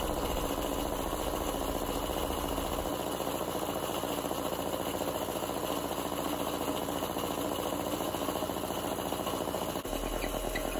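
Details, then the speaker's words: 48-year-old Compak air compressor running and building pressure slowly: rough drone with rattly clatter that strains and slows as pressure rises; electric motor bearings completely shot, unloader valve also leaking. "the second problem which is causing most of the noise is the bearings in this electric motor are completely shot"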